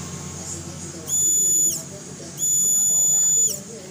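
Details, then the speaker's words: Honda Beat FI scooter fuel pump tested on the bench; suspected cause of hesitation mid-throttle: two bursts of strong, high, steady whine, pump still running strongly with good pressure, normal. "Suaranya masih kencang Mas Bro, masih tekanannya masih gede."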